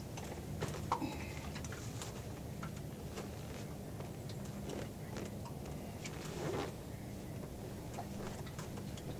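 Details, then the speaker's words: Carbureted ATV that sat in winter cold: steady low cranking churn with ticking but it never catches; water in the float bowl causes the hard start. "Yeah, that's never a good sound. I mean, the that's a good sound, but it's not good that it doesn't start up afterwards."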